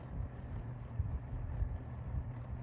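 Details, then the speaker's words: 1987/1988 Lakewood P-223 fan after degreasing fix for years-long oil problems, previously ran slow: steady, even low hum with no wobble, rattle or slowing, some wind rush; motor runs smoothly now. "this fan never sounded like this before it was always you know trudging on its last step but this thing is running strong now"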